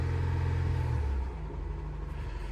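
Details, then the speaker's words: 2012 Honda Pilot 3.5 V6 after replacing the cylinder 6 coil for a P0306 dead misfire: low, steady rumble with even pulse, no skips; idles much smoother, check engine light still on. "Ooh, it already sounds better, much better. We still have the check engine light on. There's some other stuff going on. Definitely a lot smoother."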